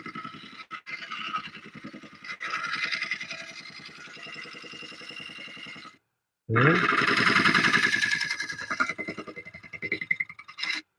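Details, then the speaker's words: Oak burl bowl on wood lathe, carbide tool scraping cut: steady scraping with light tick each revolution, about three or four a second; tool striking an empty void left by a branch notch. "I was hitting there's a there's a an empty spot right there and it's it's from that notch that branch."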